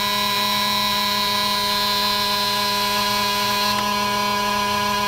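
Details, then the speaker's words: 2000 Chevy bus (Missbach) won't start. A steady, shrill, unbroken buzzer with no engine running. It likely comes from the rear emergency door lock being engaged or the door not being fully closed, which blocks starting. "I know the bus won't start if the back door is open and that noise sounds like the noise that you give when the back door is open"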